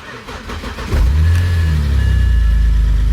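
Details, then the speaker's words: BMW 130i after engine swap from a donor car, 6.3 litres of oil, previously warmed up, now with throttle pedal attached: brief crank, clean catch, steady even idle with lifter tick much reduced; still smoky, runs smoothly. "oh that sounds a bit smoother i actually did run it again last night for a bit longer let it warm up and the lifter tick did go down considerably and it sounds like it has now as well yeah it's much better"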